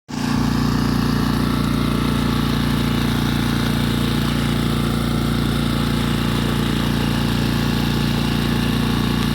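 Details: New Tohatsu 6hp outboard, bought spring 2020 with 19 hours, on a 1.5-ton sailboat making about five knots at half throttle: steady drone with a fast, uneven ticking about three per second over it. Abnormal running noise, cause unclear.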